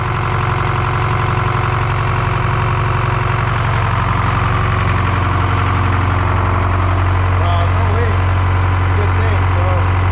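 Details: Detroit 4-53T two-stroke turbo diesel running a two-tank WVO (waste vegetable oil) system at about -20 to -28°C, restarted after replacing a burst diesel fuel hose: steady, even low drone with smooth fast pulse, no misses or knocks; clean cold idle.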